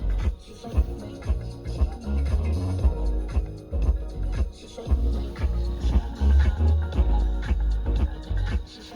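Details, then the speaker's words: Front door midbass speaker in an Audi A6 C7 playing bass-heavy music with a rough, crunchy rasp on low beats that comes and goes, blamed on dirt getting into the speaker; distorted speaker, replaced with new 20 cm speakers. "Не обошла и меня проблема с хрипящими динамиками. Он то хрипит, то не хрипит."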